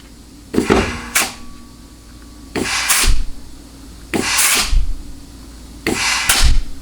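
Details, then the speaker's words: Dodge 47RE (A518/A618 family) transmission case air check at 100 psi, forward clutch port: four short air bursts each with a soft thump as clutch applies and releases, no constant leak hiss, drum end-play travel heard; forward clutch seals well. "so that sounds good. What you heard was, or I should say saw and heard, was the drum travel, okay, or the front end play."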